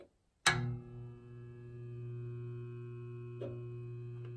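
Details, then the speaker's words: 1980s Super dehumidifier original fan motor, wired direct to a cord for testing: power applied, motor just drones a steady mains hum without spinning; rotor rubbing the stator and binding due to severely worn bearings beyond saving, motor replaced. "just sits there and hums [Music] just will not go that's actually because the let me disconnect the power that's actually the rotor rubbing against the stator and causing a bind so the motor will not spin when the power is applied"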